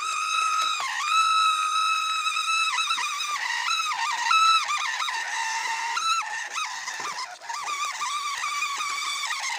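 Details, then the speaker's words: MN99S 4x4 RC car off-roading in a palm plantation, right after water and mud: very loud shrill motor whine rising and dipping with throttle; owner suspects mud got into the motor, damaging it or its gears. "Dan tiba-tiba saja setelah melewati gubangan air dan lumpur, dinamo mesin mobil gue itu berbunyi sangat nyaring ya guys ya. Jadi dinamonya tuh berbunyi gitu, kayak knalpot racing gitu. Berbunyi itu sangat keras dan bikin nyilu ya."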